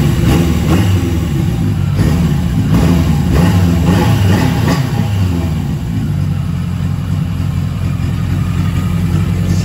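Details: Yamaha XJ750 four-cylinder motorcycle after sitting, run after Seafoam soaked a day in carb bowls and tank and idle screw readjusted; started right up, pulls smoothly through throttle blips and settles evenly, no misfire, running clean.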